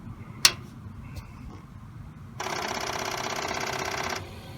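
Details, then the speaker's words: Commodore 8050 dual floppy drive powered on for the first time in perhaps 30 years: a sharp click, then an even whirring spin for about two seconds that stops cleanly; normal power-on spin-up. "oh yeah that sounds good so they spin for a little and then they stop"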